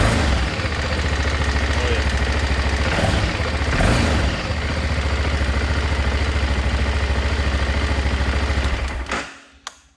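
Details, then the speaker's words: 2006 BMW F650GS single-cylinder, started right after a battery replacement. Quick start, then a firm, regular low idle thud until it shuts off cleanly; runs as it should. "just what it's supposed to sound like"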